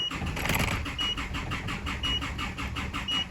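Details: Isuzu D-Max diesel with fault codes for EGR closed-position performance and camshaft position: starter spins at an even quick beat but it never catches; no engine speed signal seen, high fuel pressure; crank no start, cam/crank sync suspected.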